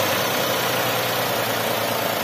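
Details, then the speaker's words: Daihatsu Xenia 1.0 VVT-i at operating temperature after blips: steady, even hum at a settled 900 rpm idle with hiss on top, no misses or knocks; normal idle. "yo langsung turun 900 lagi Oke gitu ya"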